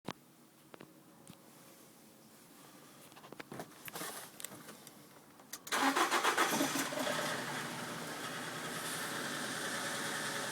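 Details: 2005 Nissan X-Trail 2.0 L petrol, automatic, 170,000 km, cold start: engine cranks and fires, then runs with a busy metallic rattle over the idle, occurring only when the engine is cold; cause unknown.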